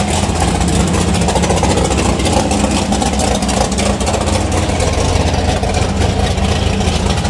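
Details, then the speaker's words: 1981 Chevrolet Malibu drag car with big-block Chevy, first start after about 15 years in storage, idling in neutral: loud, even, lumpy idle with a deep steady beat and no knocks or ticks; sounds healthy. "well it's live kind of forgot what it sound like it's been so long since I had it running that sounds pretty good still"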